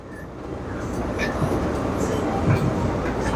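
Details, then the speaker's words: Hoshizaki ice maker, newly installed on top of a soda machine and freshly powered up: steady mechanical rumble with faint knocks of ice dropping into the bin; already making good ice, unit running normally. "I don't know if you can hear it, but you can hear the ice dropping. It's already got ice in it now too."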